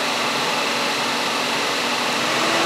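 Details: Radiator cooling fan commanded through fan-speed tests with a Tech 2 scan tool while diagnosing overheating: a steady loud rush of air with a faint low hum as the fan spins evenly at high speed, running normally; the relay is heard clicking.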